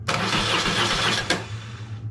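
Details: BMW GS-based adventure bike project being revived: starter whirrs fast for over a second then stops without firing; no spark found yet at the plugs, no fuel introduced. Cranks but does not start.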